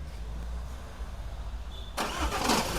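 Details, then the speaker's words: Jeep Compass with a hardened clutch, before repair: quiet cranking, then a harsh rattling clunk as the engine fires and catches; noise from the flywheel, to be fixed by opening the transmission and replacing the clutch. "ये देखो जी ये sound आता है। ठीक है? तो, यह जो साउंड आता है, यह आता है मेनली फ्लाई व्हील से।"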